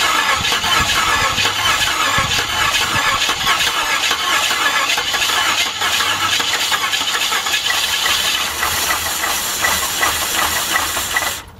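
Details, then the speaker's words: 1989 Jeep Grand Wagoneer 5.9 V8, sat outside almost 20 years, starter fluid sprayed into the carburetor: starter churns about eleven seconds with brief uneven catches that never build into a run, then cuts out; has spark, carburetor likely needs replacing. "i'm gonna say have spark boys oh oh she's trying she's a trying"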